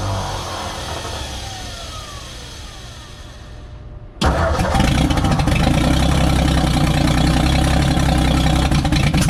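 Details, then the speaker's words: 1957 Ford F100 started by squirting gas down the carburetor, since the fuel pump isn't pumping and the tank is bad: it catches after cranking and settles to a steady, even low rumble; the carburetor seems good. "that is pretty good A lot better than what it was I honestly think this carburetor might actually be good"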